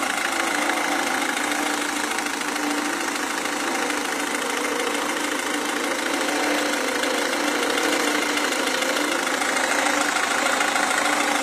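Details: Renault Megane 1.5 dCi diesel at idle: steady idle with a sharp, regular knock roughly three per second riding on top; knocking of unknown origin.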